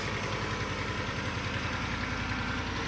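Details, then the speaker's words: 2004 Ford F150 with 220,000 miles on full synthetic 5W30, cold start after sitting two weeks: rough V8 idle with quick regular ticking over the firing pulses, apparently exhaust leaks that should quiet down as it warms. "Alright, so that's how it sounds cold. Definitely hear some exhaust leaks."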